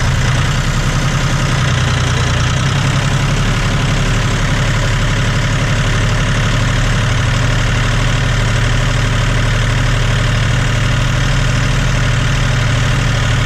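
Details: John Deere 5205 tractor diesel after a Stanadyne DB4327-5913 injection pump replacement, idling in rain: a deep, steady beat with no misses or knocks. No leaks are seen, and it runs smoothly.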